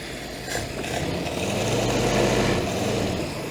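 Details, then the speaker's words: Ford-script Willys army Jeep flathead after the carburettor was pulled apart to restore the idle circuit: a soft, even idle with a gentle steady pulse and no valve clatter or misses, quiet with no valve train; healthy. "Gotta love flathead engines, they just run so nice and quiet. There's no valve train to make noise."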